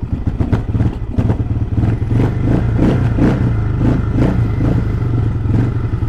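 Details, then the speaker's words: XPro Templar X 250cc dirt bike fitted with a new 30mm Nibbi carburetor, idle set to about 1000 rpm, idling from cold; steady, even single-cylinder thump with no hunting or stumbling, where it was previously hard to idle cold. Normal cold idle. "so dude she's on there she's running it's idling from a cold maybe it is as good as everybody says cuz literally this bike was a pain in the butt to get idling when it was"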